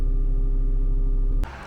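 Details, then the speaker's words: HPEVS AC50 motor from a delivery van after its bearing was replaced, running at 1000 rpm: a smooth, steady hum with clean even tones and no scraping or rumble. The earlier strange noise is gone; normal motor run. "Pues ahí está girando bien A mil revoluciones por minuto ya no se escucha el sonido ese raro y pues ya listo terminamos"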